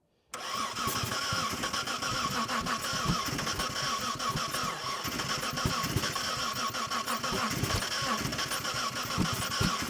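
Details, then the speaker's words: 1990 Mitsubishi Montero first-generation six-cylinder manual with spark confirmed, cranked while throttle worked: steady, even cranking for ten seconds without catching; crank no start, owner suspects bad, foul-smelling gas. "all right stop I think it's the bad gas"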